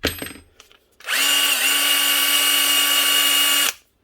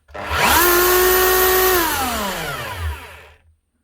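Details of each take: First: Bosch 18V-Li brushed drill/impact driver set from about 2013–2014, after a bent-contact switch repair: the motor spins up to one steady, even whine without surging or jumping speeds, then stops cleanly; running normally. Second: Makita HR3000C SDS hammer drill from 2000, 24 years old, motor spins up to a steady whine running too free and fast with no hammer blows; hammer not engaging, owner suspects a broken piston or fault in the head.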